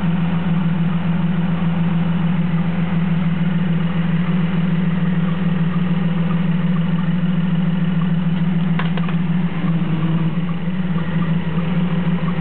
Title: 1993 Jeep Cherokee misfire.